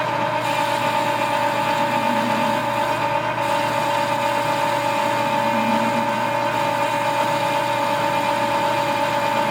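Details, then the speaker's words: Lathe with dual belt drive through the gearbox, roughing a spring perch sleeve: steady hum with faint rough rubbing that waxes and wanes as the cut loads up; worn drive belts rubbing under load, not tool chatter; belts need repair. "a little bit of rubbing you hear it's not chatter on the tool this has a dual belt drive that goes through the gearbox and those belts are desperate need of repair so when it gets in there starts taking a good bite they get a little noisy"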